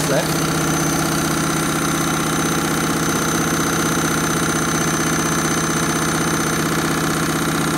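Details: Candy washing machine on Rapid 30 mini-load program, final spin at about 1000–1200 rpm: steady whirring drone with rapid rhythmic knocking underneath, loud throughout; noisy spin, cause unclear.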